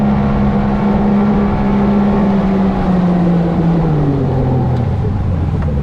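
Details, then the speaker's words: Outboard boat getting on plane: a loud, steady drone whose pitch and rpm slide and settle as the motor is trimmed up and the prop grabs with less resistance. This is a normal running change. "all right so you can see when we get up and start running um you'll hear the the rpm change in the motor and stuff that less resistance"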